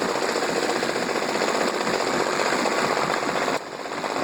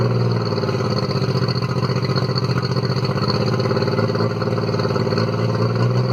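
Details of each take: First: Mercury 40 hp 4-stroke outboard, about 1999, long sat and always idled rough, warming up before carb sync with a CarbTune Pro. Loud, rapid, choppy idle with uneven rhythm; the three carbs are out of balance. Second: Circa-1999 Mercury 40 hp four-stroke three-carb outboard, formerly rough-idling after sitting, after carb synchronisation with CarbTune Pro: steady, even idle with smooth low drone, no misses or stumbles; idle possibly slightly high.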